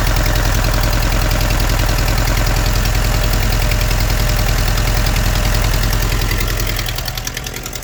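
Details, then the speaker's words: Car engine idling with a heavy, steady knock, about three to four per second, from oil starvation after the oil pressure warning light was ignored; block considered shot. "That's what we call shot the block, because of lack of oil. Someone did ignore that warning light, and the fuel is just as full. Wow, with a knocking engine, this is going to be a useless one."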